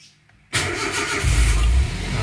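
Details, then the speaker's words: Car with a flat battery after the ignition key was left on, after recovery: silence, then the engine catches right away and settles into a steady even idle; normal engine start. "Alhamdulilah mesin bisa nyala dengan normal tanpa ada masalah"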